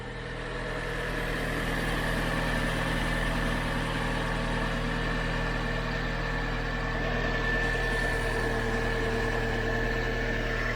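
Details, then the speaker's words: Salvage-auction 1.2 petrol car that had been sitting, idling: smooth steady hum with no ticks, knocks or hunting after a brief alternator belt squeal at startup; sounds absolutely perfect. "but in terms of 1.2 that sounds absolutely perfect i'm happy with that yeah that's a good 1.2"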